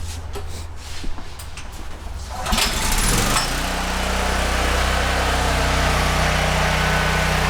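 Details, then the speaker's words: Older Honda generator with GX390 single-cylinder engine (stator bad), oil level checked full before no-oil test: quiet, then engine catches around two and a half seconds and settles into smooth, even, steady run; engine healthy. "So, we show that the generator does work and everything."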